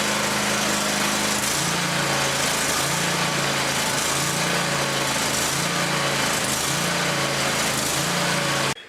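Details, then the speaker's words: Scag Tiger Cat zero-turn mower, carbureted twin-cylinder Kohler Command Pro 27 gasoline engine at full throttle after replacing a blown 20 A charging fuse: high, even buzz with no miss or knock; battery rises from 12.1 V and is now charging. "you can see from those voltage readings, replacing that burnt fuse, the charging system is now charging the battery."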